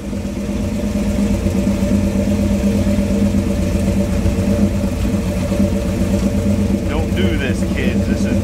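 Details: Crosley after water was cleared from the exhaust pipes; even, steady V8 burble with a smooth, unbroken low rumble and no misses or stumbles; normal idle.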